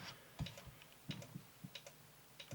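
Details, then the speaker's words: JVC HR2200 portable VHS recorder on battery power after resoldering dry joints: sharp relay-like clicks in small bursts about every 0.7 s; it powers up but still does not work. "i don't know if you can hear that without clicking like some sort of relay or"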